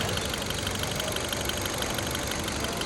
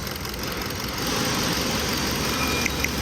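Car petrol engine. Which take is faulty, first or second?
second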